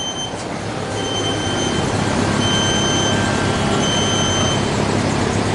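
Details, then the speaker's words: Apache build truck (Flex Truck) at idle on its second start attempt: thin, high electric whir in short bursts over the running engine as the electronic parking brake releases normally. "So it's electronic e-brake, makes it a little harder to steal."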